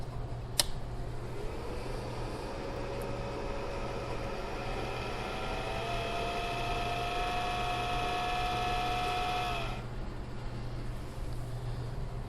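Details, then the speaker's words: 800 W AC/DC power inverter on a battery after fuse check; internal rear cooling fan spins up then holds a steady fairly loud whine over a low hum; noisy cooling fan. "there's a cooling fan just like on the computer on the back side here that's what's making that noise"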